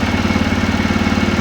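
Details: TVS Raider motorcycle after fixing an engine noise by checking the tappets and timing chain and resetting the timing: a steady, even low thump at idle with no ticking or rattle, now fine.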